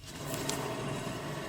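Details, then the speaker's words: 2013 Subaru XV Crosstrek, about 119,000 miles: steady, heavy rough grinding rumble from a spinning rear wheel, a worn wheel bearing that causes loud humming at highway speeds; the other side is even louder. "so let me show you do you hear that crazy grind i will put you closer hopefully you will be able to hear it even better here let me get here so i don't kick that tripod this is heavy heavy grinding"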